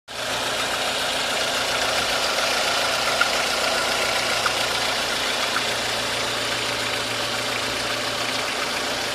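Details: 1.4 16V engine at steady idle with a fast light ticking knock about three or four a second; noise persists after checking the chain tensioner and removing the belt, source not pinned down.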